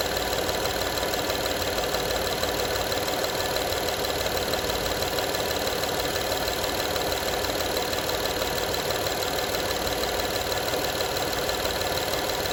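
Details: 2012 Honda Odyssey engine at steady idle: constant light metallic rattle, around three ticks a second; engine rattle at idle, cause not pinned down from sound alone.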